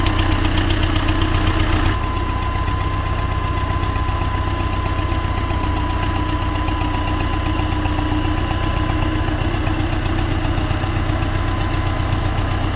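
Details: T-40AM tractor diesel running in about -14°C after a month standing, warming up before a test of the differential lock; regular knock about four per second over the low rumble, engine knock, cause unknown.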